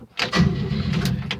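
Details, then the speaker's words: 1971 Chevy C10 truck, cold start after sitting a long time, cheap year-old battery charged for two days: starter spins the engine briskly and evenly with strong, steady cranking; normal cranking. "that sounded good give it some pumps and get some filled up on it's been quite a while that's turning over pretty good charged it for two days"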